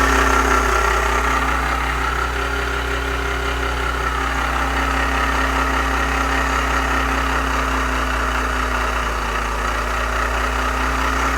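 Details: VW AP 1.8 engine at idle: steady idle with faint uneven tapping about three beats a second under the hum; owner unsure of source; abnormal engine noise at idle.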